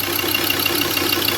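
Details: A Ford Ranger 3.2 diesel idles with an uneven, stumbling clatter and irregular pulses as a cylinder drops out. One injector is not functioning, and replacing another injector is advised.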